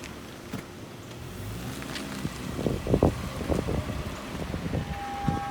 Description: I have a 2004 Toyota Camry XLE V6 with 85k miles that has an issue when the steering wheel is turned hard left. It makes a high pitched grinding whining noise while cutting the wheel left.